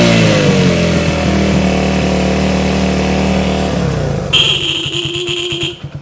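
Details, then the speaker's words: 1971 Honda CB100 single-cylinder, 2,786.6 miles, revived after decades unused: steady popping beat, revving up and settling then dying off; runs cleanly. "Oh, it sounds good. Sounds good."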